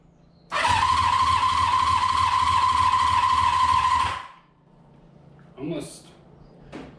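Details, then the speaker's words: Honda CB500 cranking on the starter; spins fast and light at about three even pulses a second with no labouring on compression strokes; owner suspects low compression. "a little too good it's like somewhat concerning as far as uh we have good compression or not"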